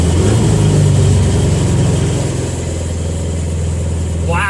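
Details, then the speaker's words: 1974 Chevy Vega, bone-stock four-cylinder, just started on the repaired stock-tank fuel system: steady, even idle with a low smooth rumble, no knocks or misses; normal idle. "that's awesome finally finally it pays off we've got it running"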